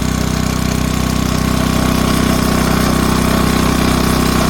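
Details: 1970s Briggs & Stratton 4 hp on air compressor, cold start the next day with shroud and belt fitted: steady, even single-cylinder putter at constant speed with no knocks or misses; healthy cold idle.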